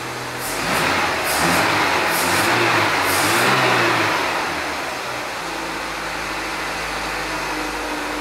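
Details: Renault Kangoo after engine installation, second start, running on gasoline only with the GNV (CNG) system not yet connected: engine revs up and drops back, then holds a smooth, even idle with no miss or knock; normal running.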